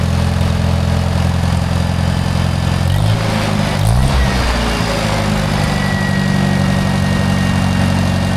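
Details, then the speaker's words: Rare Michigan loader engine, run again after sitting for many years, not yet warm, oil leaking from a canister seal; idles fairly evenly with a brief speed dip midway then settles, no knocking; normal idle. "BUT MAN, DID YOU HEAR HOW GOOD THIS THING RAN? I can't believe it. I mean, this thing runs like beautifully. I am very impressed."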